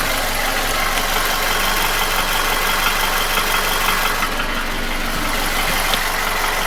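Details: Nissan QG16DE engine without hydraulic lifters, knocking began about 1,500 km ago, after piston rings, oil scraper rings, timing chain and guide shoe were replaced, oil change didn't help: faint regular tapping knock at idle, seemingly front of block between cylinders 1 and 2; cause unknown.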